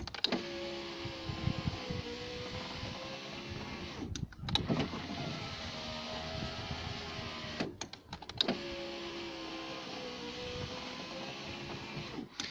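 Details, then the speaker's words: Citroen BX electric window after greasing the runners to fix slow winding: motor runs up and down with a smooth, even whir and clean stops, no labouring; normal power window operation. "amazing what a bit of lubrication can do"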